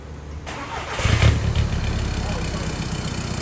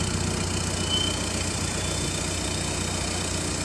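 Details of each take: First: Audi A3 common-rail TDI right after a DPF delete, mid-pipe install and tune: the starter churns hard and steadily but the engine never catches. It cranks but won't start. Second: 2011 Audi A3 common-rail TDI diesel after clogged-DPF delete pipe install and tune: steady idle with even clatter, no hunting, misses or knocks; sounds better, no longer like a vacuum — normal diesel idle.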